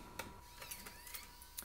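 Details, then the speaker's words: Macintosh Classic floppy drive after cleaning glue-like hardened grease off the head rails and regreasing: disk spins, heads move, Mac boots; sharp clicks and short whirr as disk ejects cleanly, drive fixed. "yep totally works so the first Mac fixed"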